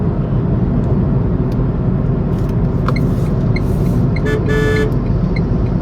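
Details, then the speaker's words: Tata Tigor BS6 three-cylinder petrol car heard in the cabin with AC on at fan speed two; steady low road and engine rumble, no whine or rattle, normal. "so i'm gonna turn on the ac now i'm keeping the ac speed in two so this is what the sound you'll get inside the car when the ac is turned"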